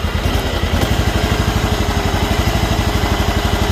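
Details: John Deere mower with Kawasaki twin being checked for a charging issue, idling. Even, regular putter around four beats a second, no knocks or misfires: normal idle.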